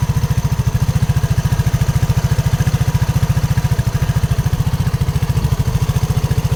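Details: RUSI RFi 175 at idle: even, heavy knocking at about three and a half beats a second over a steady idle; clear knock, cause not yet pinned down.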